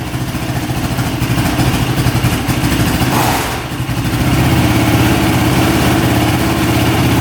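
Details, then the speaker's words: Honda ATV with small single-cylinder engine, after fitting a tighter spark plug boot: runs steadily at idle with a quick blip and dip midway, then settles evenly; sounds a lot better, healthy idle. "that sounds a lot better"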